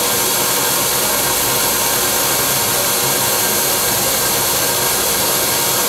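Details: Wet vac pump with its water supply restored: a smooth, steady airy rush with no surging; without water it runs very hot, sounds different and loses inches of mercury.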